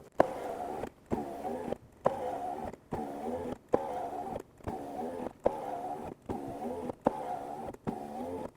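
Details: 2001 Lexus GS300 3.0L after new window regulator and motor installed, window cycled up and down in manual mode repeatedly: even whir, soft stop thuds, no grinding or binding; working normally.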